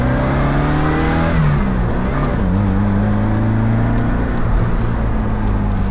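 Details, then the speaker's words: Pontiac Fiero with GM Iron Duke four-cylinder under hard throttle: engine note climbs smoothly through the gears with no knocks or rattles, doesn't sound bad, pulling healthily. "You know, it doesn't sound bad for a 4-banger."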